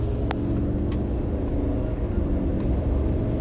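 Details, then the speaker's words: Diesel truck after engine flush and AMSOIL signature oil, about 200 miles; previously had a strong lifter-type knock: at road speed only a low, steady rumble, no ticking or clacking; quiet, normal running. "that is amazing how quiet"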